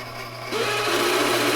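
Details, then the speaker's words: 1960s Hammond M101 organ, unplayed for many years, switched on via start button after oiling: dry raspy whirring rises over steady hum; noisy tone generator, sounds like a bad bearing, more oil applied to soak in. "that sounds like a bad bearing not good all right let's see what more oil will do but that's not good"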